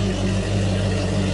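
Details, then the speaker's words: 2020 Triton 216 Fishunter with fuel-injected Mercury 300 Pro XS outboard, cold start after fuel pump prime: low, steady rumble with an even beat shaking the boat, nothing rattling, a healthy idle as the computer warms it. "Waking up a lot of pony Wow. You can feel the whole boat shake. Yep. I mean, that is unbelievable."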